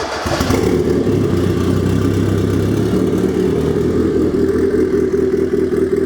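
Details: Rebuilt high-compression turbo Miata engine on its first warm-up run after the rebuild, before the downpipe and intercooler pipe were connected. It starts, flares briefly, then settles into a smooth, even idle with no misfire and runs normally.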